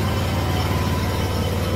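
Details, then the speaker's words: Kawasaki FH580V on a Scag Freedom Z mower, before carburetor replacement. Low, uneven idle thump that never smooths out, even at high idle; choke improves it slightly, so the owner believes a carburetor jet is plugged. "So you can hear it doesn't idle smoothly. Even at high idle it doesn't."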